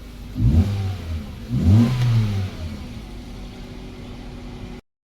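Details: 2012 Hyundai Verna (Fluidic) petrol with a no-start, immobilizer/Smartra no response (P1690), fault traced to the ECM: after repair, two quick throttle blips rise and fall cleanly, then a steady even idle; engine now starts and runs normally.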